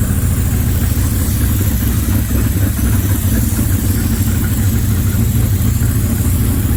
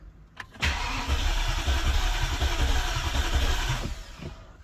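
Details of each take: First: BMW E65 735i V8 first start after engine swap, no exhaust fitted: rough, loud idle with no smoke and a faint hiss under the drone, a vacuum leak heard, to be checked later. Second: BMW E65 735i V8 on its first crank after an engine swap, with the fuel pump fuse removed. The starter turns it with an even, steady pulse of about four compression strokes a second; cranking sounds normal with good compression.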